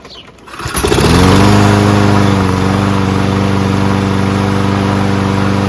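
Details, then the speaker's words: Toro Recycler Personal Pace self-propelled mower, Chinese Loncin engine, after self-propulsion repair, auto choke stuck open so choke manually closed: catches on first pull, picks up within a second, settles into a steady even run with no misses and no smoke despite being on its side. "Pretty amazed that it started on the first pole and there's no smoke."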